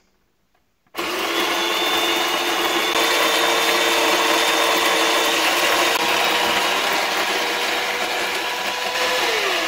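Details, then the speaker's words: Home espresso machine after gasket repair for a leak and flow-meter fix for false water-level warning, system primed: pump starts abruptly and holds a steady buzzing hum with faint even pulsing, no sputter; brewing normally, no leaks, flow meter working. "coffee's coming out double check yeah no more leaks up here also everything's nice and dry the way it should be flow meter is also working great seems like we fixed it"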